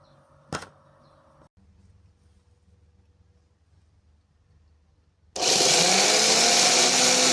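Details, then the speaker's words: Used replacement starter on a car whose old starter worked intermittently (clamp-meter amps dropped to zero on cranking, worn brushes): a click, then a loud high-pitched whir spinning up fast and steady with no grinding; replacement starter healthy. "ونشوفوا النتيجه شوفوا اللي الديمارور بتاعنا ممتاز"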